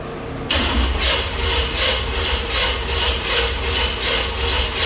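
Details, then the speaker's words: Big-block Chevy in an old truck, with new plugs and plug wires: the starter churns rhythmically at about one beat per second and the engine never catches. Crank, no start. "well as you can see I still got a problem I'll get it figured out here in a little bit maybe but uh I'm I'm let me crank on a little bit more"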